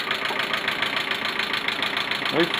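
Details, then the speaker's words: Petrol engine at warm idle after head gasket replacement and two replaced valve lifters (tappets), timing not fully set, alternator belt off: fast even ticking about seven a second; runs smooth cold, ticks warm; cause unconfirmed. "Ale mam kłopot, kurde, ponieważ jak zimny, to chodzi równiutko. Jak jest ciepły, to cyka, nie?"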